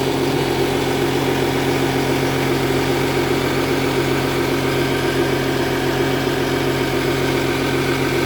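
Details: 2010 Audi Q7 TDI at idle with check engine light on: steady diesel idle with a constant raspy chuff over the low rumble and no change in revs; exhaust leak, later resolved by Audi.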